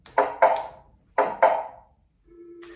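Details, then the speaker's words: LRA-DCRXS plug-in strobe receiver just paired to two wireless push buttons, black button tested: two quick pairs of clear knock tones with short pause; knock-knock chime playing properly. "Now we're going to test it out. I should hear the ding-dong sound for the white push button. And then the knock-knock sound for the black push button."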